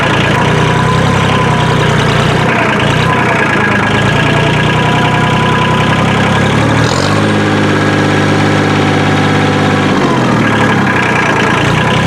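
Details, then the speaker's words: Kubota L2350 diesel tractor after clearing water from the fuel and bleeding the system, working moving mulch with a little white smoke: steady, even idle rumble with no misses or knocks; normal diesel idle. "so far everything's going good guys i think we gotta fix it's running good running good"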